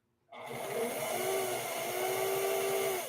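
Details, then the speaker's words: Vintage sewing machine: motor winds up to a steady whir with a thin, wavering whine but no traction; cleated drive belt slipping, improperly adjusted or possibly damaged. "Slipping, slipping, slipping, slipping, bad slipping."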